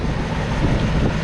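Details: AC condenser after a 1:1 swap replacing a locked-up condenser fan assembly: steady even low whoosh and rumble with no ticking or scraping; fan spinning cleanly and running normally.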